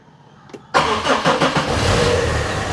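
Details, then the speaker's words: 15-year-old Tata diesel car, started after sitting, in neutral without clutch on a single ignition turn: brief crank, catches at once and settles into a steady, even idle; healthy quick cold start. "Start ஆகிட்டு. Start பண்ண உடனே ஐடில்லே வச்சுருங்க."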